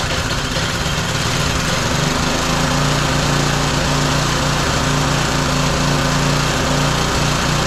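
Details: Roadside-found lawn mower engine for the Tommy Gun mini bike (carburetor gummy, may need replacing): steady, fast, even buzz with no misses or knocks; running healthy and smooth.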